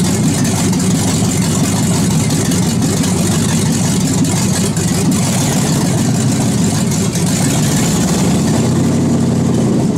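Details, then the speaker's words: 2001 Chevy Suburban first start after cylinder head rebuild and reinstall: steady, even idle with smooth low rumble, no knocks or misses, sounding tight; a little smoke from oil on the bolts. "you shove right off it sound pretty tight not too shabby for old Chevy fire"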